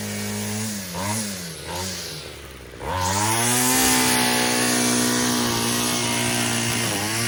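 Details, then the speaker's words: Yard-sale two-stroke weedeater, the low-compression one, after cleaning, fuel line and air filter service: buzzing and surging, dies when tilted on its side, revs back up upright; owner suspects fuel pooling in crankcase; stalls when tilted. "That's weird. You turn it on its side and it cuts off. You tilt it back and it revs up. I have no idea what that's about. There's probably some fuel pooling in the crankcase."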